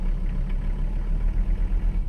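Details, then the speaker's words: Mercedes 300CD diesel, long abandoned, just started: low, lumpy idle with an uneven stumbling beat, dropping a cylinder or two; rough idle, misfire, owner suspects it needs fuel and doubts oil pressure is building. "i think she needs some fuel she's running on less cylinders than she should be well attack doesn't work yeah she's missing some cylinders there"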